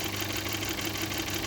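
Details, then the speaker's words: VW 1.4 TSI CHPA, oil level fine, appeared suddenly and driven 800 km; valve cover checked, phasers tight and dry. Light quick ticking about six a second over steady idle from the engine top, fading and returning; hydraulic lifters suspected, unconfirmed. "Сразу слышно, как идет стук. Не знаю, откуда он идет, но откуда-то прямо вот отсюда сверху. И то притихает, то увеличивается."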